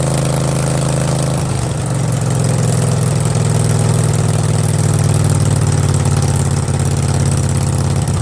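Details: Craftsman garden tractor, 20.5 HP Kohler Command V-twin, new fabricated exhaust elbow and straight pipe, started on half choke: deep, loud, even burble catches after a second and holds a steady lumpy idle through the open pipe; normal idle, sounds mean.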